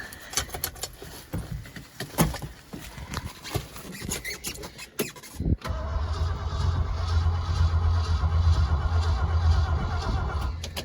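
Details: 1971 Ford F-250 4x4 Highboy boom truck, cold start below zero in the Alaskan winter, battery possibly weak, no choke cable fitted: brisk, even starter cranking for several seconds that never catches. It cranks but does not start.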